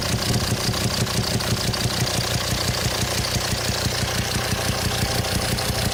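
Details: 2007 Volvo XC90 D5 185bhp diesel at idle, heard with the intake/throttle body connection opened: a sharp, even pop about twice a second. Cylinder 5 exhaust valve lifter socket sheared, valve stuck closed, backfiring through intake; fix is replacing the cylinder head.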